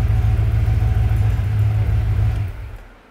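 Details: Ford Bronco engine revved with each spark plug pulled in turn: deep rhythmic knocking about three per second goes soft with the number four plug removed. A worn lifter is suspected, though piston slap was also raised; unconfirmed.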